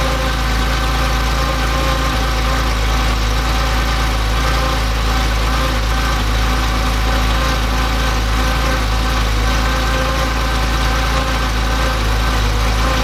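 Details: Freshly rebuilt Porsche CIS fuel-injected engine, cold start after sitting overnight, pressure gauges removed, air filter fitted: steady, even cold idle with a smooth low rumble, no hunting, stumble or miss.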